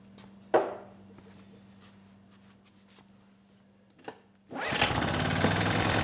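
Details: Honeywell HW2000i 2000-watt inverter generator, circa 2002, hard starting (needed starting fluid, choke): quiet pulls with a couple of knocks, then it catches into a steady, even drone; runs very well once started, no surging.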